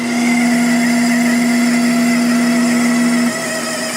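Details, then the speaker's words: Sharp 10,500 BTU air conditioner running at full speed, fan rush with a steady low whine from a dry front fan-motor bearing that squeals and was slow to reach speed after sitting; fix: oil the bearing. "it's running at full speed now but it's that bearing just sounds awful so I'm gonna have to take this thing apart gonna have to take it apart and oil that bearing"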